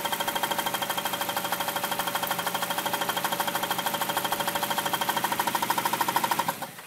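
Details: 1999 Kia Sephia at idle: a sharp, even knock about three times a second, steady until shutdown. It started after the same starter was removed and reinstalled; cause unknown.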